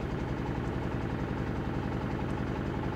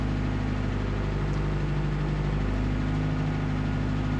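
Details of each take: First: 2000 Toyota Celica GT 1.8L idling in Drive/Reverse under load with an uneven, lumpy beat; cylinders 2 and 3 misfiring (dead misfire on 2, weak spark on 3), codes P0302/P0300. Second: 2000 Toyota Celica GT 1.8L in Drive after repair; smooth, even low hum with steady pulse, no skips; misfire counts on cylinders 2 and 3 at zero, normal idle after repair.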